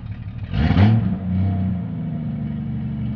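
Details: Jeep Cherokee XJ 4.0 High Output: rev swells then settles to rough low rumble with clattery edge at idle; noise traced to the torque converter, not the engine.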